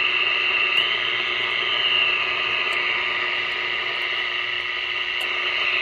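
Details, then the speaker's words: Montgomery Ward Airline AA5 tube radio, dirty, likely never overhauled, tubes untested: steady hiss, faint high whistles, crackle pops, no clear program; poor AM reception, owner suspects a resonant capacitor. "hmm I'm beginning to think that actually that resonant capacitor meant something it's not very good reception now grant that I haven't tested any of the tubes but something sounds funny it sounds like there's something definitely going Askew here"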